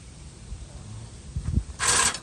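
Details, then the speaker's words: Toro TimeCutter mower that broke down in a rainy, muddy area, won't move, only one wheel working: quiet clicks and creaks, then a short sharp electric whir with nobody touching controls; electric brake release mechanism cycling by itself. "listen to the our brake release mechanism it's just going off for no reason"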